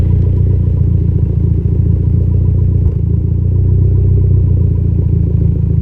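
Idle thrums low with an uneven, loping beat and occasional dips in the pulse, a mild misfire that is still present. Cause suspected, not confirmed.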